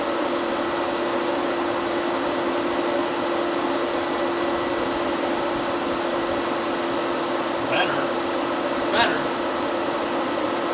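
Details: C10 truck being fixed for overheating, one electric radiator fan rewired through a single relay with new fuse holder, key on: steady even whir, constant hum, no rattle or speed dips; fan running normally.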